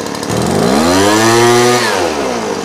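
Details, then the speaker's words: Small two-stroke engine carburetor tuning, low/idle mixture screw reset to 1 1/4 turns then richened: idle climbs, then sags soft and uneven with a burble, the sign of a rich mixture; screw turned back in until idle peaks. "Let's make it richer. Hear that? It'll go"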